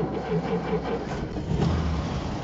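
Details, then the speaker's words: 1949 Nash Ambassador Airflyte Special Super barn find, cold, after brake, fuel, engine and chassis repairs: brief crank, fires right up, soft even idle, oil pressure about 30 psi; no knocks or misfires. "Fired right up. Purr like a kitten. You can see the oil pressure there has come up to about 30 lbs."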